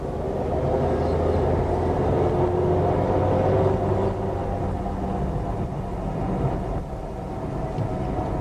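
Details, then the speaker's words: Front-wheel-drive car, sound heard inside with windows up: steady low growl constant through a corner, not changing with side-to-side load, so a final drive/differential noise rather than wheel bearing is suspected, unconfirmed. "hear that growling noise hang on there folks go and around the corner"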